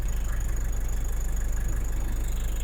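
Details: Nissan Terra diesel, just started cold on fresh oil, deep smooth even idle with steady low pulses, no knock or uneven huffing; checked for oil spitting at dipstick tube; healthy engine.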